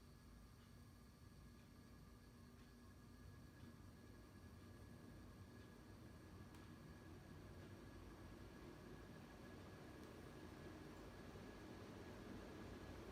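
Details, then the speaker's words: 52-inch SMC A52 ceiling fan, late 1970s or early 1980s, cast motor housing, running reverse on high, seemingly faster than forward, pronounced wobble: faint steady electrical buzz over the rush of air; slight motor buzz in reverse. "It does have a bit of a buzz to it on reverse."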